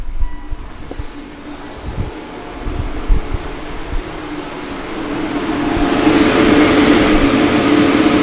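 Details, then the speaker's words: Mitsubishi Outlander PHEV at 36°C outside, climate control and aircon off: about five seconds in the battery cooling fan spins up to a steady even whoosh with soft hum, stopping when car is turned off; normal battery cooling fan operation. "so this is only the battery cooling. I've got no aircon on, nothing. That's the battery cooling fan. Climate control is turned off. You can still hear the fan."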